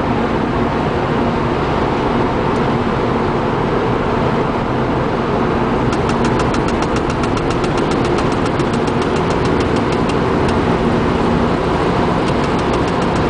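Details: Engine at cold idle: fast, light ticking about five a second, coming and going; owner suspects the cabin fan or heating system, not confirmed.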